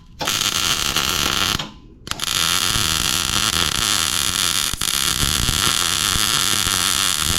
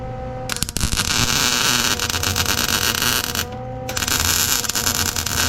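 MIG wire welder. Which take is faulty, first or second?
second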